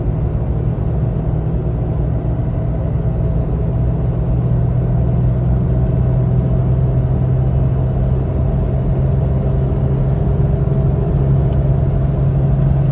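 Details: Lifted (4 in, Fox 2.5) 3rd-gen Toyota Tacoma at 40–60 mph: a rhythmic cyclic hum pulsing with road speed under road noise, starting after a bumpy mountain dirt drive; replacing the needle bearing with an ECGS bushing didn't fix it, source unidentified.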